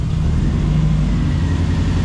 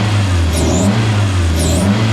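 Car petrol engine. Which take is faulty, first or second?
first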